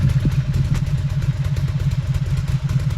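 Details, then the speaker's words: Cagiva 750 Elefant V-twin (Ducati engine) just restarted after a bad wiring connection was fixed; uneven, lumpy idle with irregular pulses, firing on both cylinders but still a bit rough, blamed on excess fuel from riding on one cylinder. "bit not very clean at start, but I had a lot of gas in the system, of course, from driving it a while with the one cylinder."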